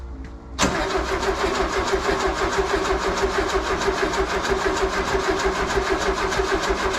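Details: VW with newly built 1641 engine, first start attempt after fuel pump leak check: even starter churning about three beats a second, never catching; it later started.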